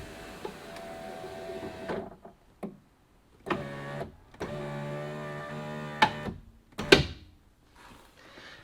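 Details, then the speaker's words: 2017 Fiat 500e driver-side power window: motor whirs in short runs then sharp clicks and pops as the regulator drives the glass up too far, snapping the clip out of the window hole; down is fine; regulator/motor later replaced. "so it's like the regulator's going up too far down is good up is good until it goes too far and then then it's a problem"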